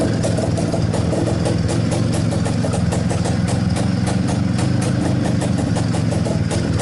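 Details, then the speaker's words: IZh-49 two-stroke motorcycle, first start after reassembly treating piston knock with solid lubricant (slight knock remained on assembly), running on fuel only: steady idle with even firing pulses and no knocking or piston slap; normal idle. "пока никаких звуков не слышно вроде все нормально"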